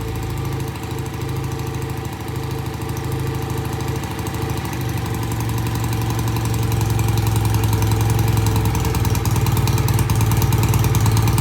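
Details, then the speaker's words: BSA A65 twin-cylinder motorcycle after carburettor cleaning: easy start, good even idle on both cylinders, thump climbing steadily as the throttle opens; running cleanly. "I think that sounds great got a good idle both sides sounds good easy start"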